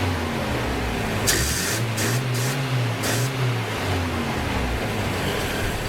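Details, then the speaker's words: Toyota Hilux with electronic ignition instead of points, started on a couple of liters of fuel with radiator just filled: brief rev then settles into a steady, smooth, even idle by itself; normal idle. "all right that's almost pure and Steven sitting there idling by itself so nothing wrong with that"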